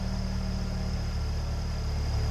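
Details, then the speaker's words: 1993 Ford Mustang LX convertible, 2.3-liter four-cylinder, heard from the rear; steady even low idle, smooth rhythm with no knocks or misses; normal. "Mustang LX with the 2.3 in it to sound like."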